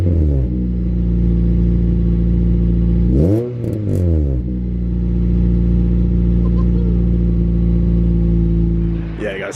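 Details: Honda Civic EP3 Type R, cold start: deep steady fast idle, then two quick throttle blips that rise and fall cleanly through a loud exhaust; healthy engine.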